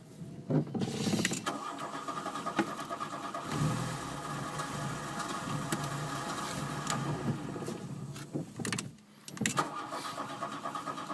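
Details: Mk1 after a relay install: several seconds of labouring, uneven cranking with a stumble before it settles; hard starting with long cranking, cause not obvious.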